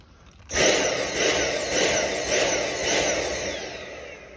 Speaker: so a common problem with dyson cordless vacuums is when the vacuum does something that's known as pulsing that's when it sounds like this